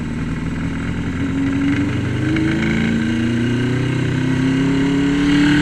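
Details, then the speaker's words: 1981 Yamaha XS1100 on Speeduino engine management, first ride in two years, pulling away in first gear: uneven wavering note with stumbles as revs climb; owner suspects running rich, flooded or fouled plugs. "oh yep about what I expected [Music] it's I think it's Rich all right so I probably flooded it or fed the plugs"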